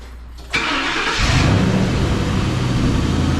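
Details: 1996 Mustang GT started right after replacing spark plugs, plug wires and coil packs, with the cold air intake refitted. It cranks briefly, catches straight away and settles to an even idle with no misfire: normal start and idle.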